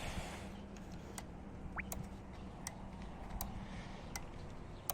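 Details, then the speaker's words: 2003 Honda Odyssey that sat with a dead battery, alarm set off when jump-started, horn relay pulled: sharp, regular relay clicks about eighty a minute; alarm still triggered because the trunk isn't latched. "the alarm goes off. It's really annoying, especially if you are living in a neighborhood."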